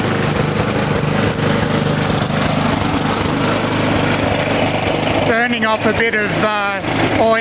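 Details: Neglected, previously non-running Victa Sprinter mower, single-cylinder engine with fresh fuel and a borrowed Briggs air filter; catches and settles into a steady, even run with a faint warble from a hand nearby; running properly now.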